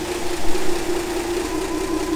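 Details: 1966 Ford F100 with a 300 six-cylinder and 4-speed manual, which ran when parked and was stored in a shed, first start after retrieval: steady, even low idle with no knocks or misses, oil pressure coming up. Normal idle.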